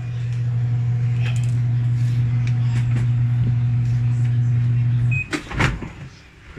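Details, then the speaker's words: Electrolux 8 kg automatic washing machine after repair for thumping in spin dry: smooth steady low hum through the spin with no thumps or banging; normal spin cycle. "So kanina kasi kahit anong testing ko talagang lagi siyang may kalabog ngayon nawala na"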